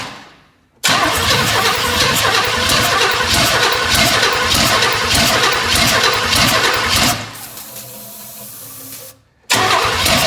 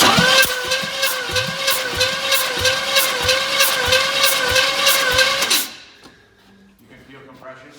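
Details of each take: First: 1984 Chevy Blazer engine being started on poured-in gas after refitting plugs and wires; ragged, uneven popping catches for several seconds, then dies back to a weak crank, and it won't keep running, with a big vacuum leak at the EGR and the back of the intake. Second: 1984 Chevy Blazer engine just reinstalled, cranked with no spark plugs fitted to prime oil: steady starter cranking with even compression pulses, no firing, engine turns freely; oil then begins reaching the rocker arms. Normal cranking.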